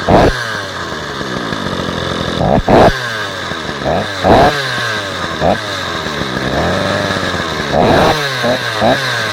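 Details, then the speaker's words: Stihl 045 AV chainsaw's first run after a brand new piston and rings, with no clutch fitted (drive drum only); two-stroke snaps cleanly to high revs in short blips and drops back to a steady idle. Normal, strong running. "this saw has a brand new piston and new rings in it that's the first time I've heard it run"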